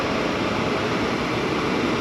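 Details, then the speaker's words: 2012 Chevy Malibu, about 86,000 miles, engine warm, blower on highest setting with heat up after blower motor and resistor replacement: strong, even rush of air, no squeal, ticking or wobble; normal. "I set it to the highest level you can hear the fan blowing"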